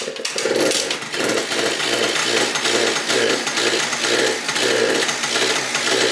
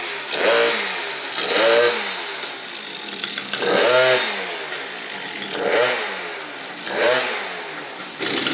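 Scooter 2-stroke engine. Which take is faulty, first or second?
first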